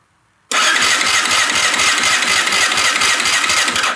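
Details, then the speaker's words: Rebuilt Yamaha Raptor 660 with a larger Grizzly 660 battery, fourth start attempt: brisk, even cranking at about eight compression pulses a second with no clatter or slipping; starter clutch working, normal cranking. "Well, I guess the starter clutch and the big battery work, that turns over really nicely."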